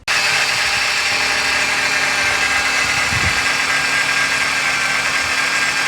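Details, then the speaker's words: 2012 Ford Fusion at idle: thin steady single-pitch whine over a quiet, even idle; owner suspects a belt or pulley, possibly a motor mount, cause not confirmed; engine bay whine at idle. "So I don't know if you guys can hear that, but it almost sounds like a pulley almost."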